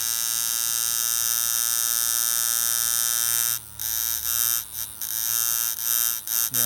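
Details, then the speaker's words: Custom flat-spring coil tattoo machine with short coils, driven at 10 volts: hard, fast, rasping buzz cutting in and out. Coils likely overloaded by too much voltage. "so there is a point where you can overload them let's take it up to 10 volts which is probably too much for small toys"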